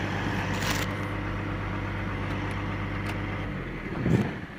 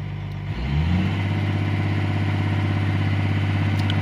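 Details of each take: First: CAT 345 excavator diesel with error code 36-268-2, engine speed rising and dropping intermittently as if shutting down: low droning note that wavers and dips, speed not holding steady; engine surging. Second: CAT 345 excavator diesel with error code 36-268-2 (engine speed surging up and down), after engine speed calibration via the monitor set to high idle: engine picks up quickly, then holds a steady, even high-idle drone; normal high idle.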